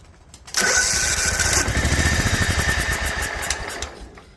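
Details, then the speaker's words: Toro Wheel Horse 265 tractor engine started on choke with starter fluid: it catches on a burst, then runs ragged and uneven at about four beats a second and fades; owner thinks it may be losing compression, coil doubted, cause unclear. "that is still nothing to write home about not quite sure what's going on here it almost sounds like it's losing compression"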